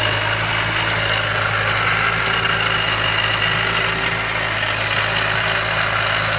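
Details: Mazda Miata with Jackson Racing M45 supercharger at steady idle: harsh rushing drone with a faint thin whine on top; owner suspects bad supercharger bearings, not confirmed.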